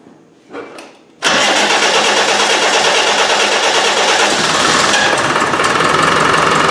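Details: Land Rover 300Tdi diesel after new pump fitted following hard starting, suspected fuel problem: brief crank, catches straight away and settles into steady even clatter; starting normally.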